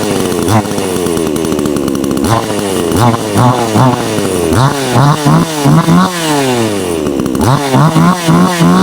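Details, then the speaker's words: Kratingdam (Black Bull) 6000 New chainsaw, 2024 model, carburetor tuning after removing the rubber restrictors from the air-filter area: each throttle blip rises, then sags and stumbles. Bogs from a lean mixture with the H screw too far right; turned left to fix. "ปั๊บนี่ก็สตาร์ทเลยบัดทีนี่แบบนี้มันวูบนะครับขยับตัวไปุนไปด้านซ้ายนะ"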